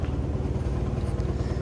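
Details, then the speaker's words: Carrier rooftop unit feeding ceiling ductwork, vibration felt in the room: deep pulsing rumble wobbling under the air rush, no tone on top. Blower wheel threw a blade and is out of balance; fixed with a new blower wheel. "this is a carrier room room top unit sounds like the blower motor"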